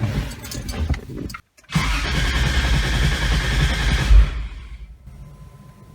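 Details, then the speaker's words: 2JZ-swapped Nissan 300ZX first start of 2020 after sitting a few months, cylinders oiled with Marvel Mystery Oil; short crank, fires promptly into firm steady run then drops back — normal start after storage. "wanted to start it up not bad for sitting for a few months but let's go check the fluids"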